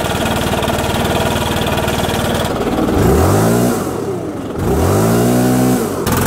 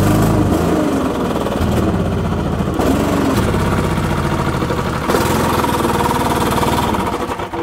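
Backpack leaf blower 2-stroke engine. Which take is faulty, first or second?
second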